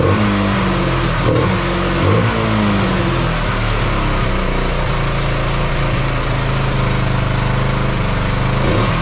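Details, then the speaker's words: Kawasaki Bayou 220 single-cylinder ATV after sitting eight years, first start after WD40 in cylinder: revs up and falls back cleanly, then steady even idle, no misses or knocks, somewhat smoky; normal running. "oh well all right sounds like it runs just fine um it's almost like it was clearing itself up um but Smokey in here um yeah should run fine now um yeah starts right up"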